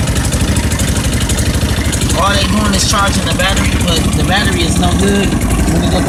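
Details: 150cc 157QMJ scooter single, just rebuilt with new crankshaft bearings, first start: it settles into a steady, even idle at about two and a half beats a second with no knock, sounding healthy.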